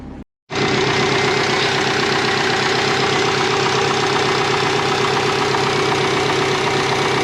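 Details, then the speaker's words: Twin-turbo 2001 Subaru Forester GT warming up for road tuning: a fast, uneven metallic rattle about four per second over a loud idle. Owner thinks a loose plastic support is the cause. An exhaust leak and heavy steering were noticed right after. "Doesn't sound very good, does it? It's the plastic. I think it's the support."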